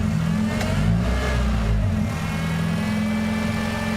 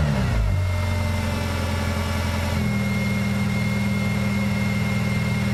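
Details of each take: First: Honda engine idling with the PCV valve connected and its line held sealed: steady, even low idle with no hunting or surging; PCV suspected stuck open, causing a vacuum leak when disconnected. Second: Idle won't settle, revs stepping up and dropping back every few seconds as it comes off high idle; idle surge caused by PCV valve stuck open.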